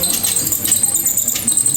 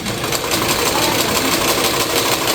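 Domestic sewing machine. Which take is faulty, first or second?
first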